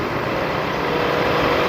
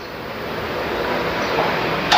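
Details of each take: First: Toyota 1UZ VVTi V8 with electronic throttle, after repair of stumbling and shaking and ECU reset by battery disconnect, idling about 5 minutes with AC on: smooth, steady rumble, no stalling or stumble; normal idle. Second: Toyota 1UZ VVT-i V8 with electronic throttle, complaint of stumbling and shaking: cranks briefly, catches, settles into uneven stumbling idle with misfire, worse in gear with A/C on.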